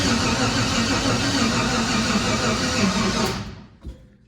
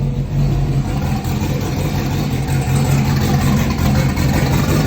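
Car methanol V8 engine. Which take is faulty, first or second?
first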